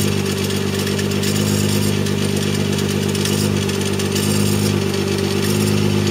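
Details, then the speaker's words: 1993 Mazda MX-3 1.8 V6, mostly stock with aftermarket exhaust, idling hood open; fast uneven clacking over steady idle, holding while the power window motor adds load; odd noise of unknown source. "you hear every time subwofer goes that it makes it's more predominant that sound right there"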